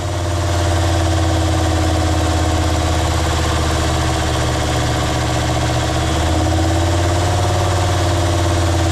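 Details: Jeep WJ Grand Cherokee 2.7 CRD diesel, throttle propped at about 2000 rpm for intake cleaning: steady even drone, no knock or stumble, smoke reducing; normal raised idle.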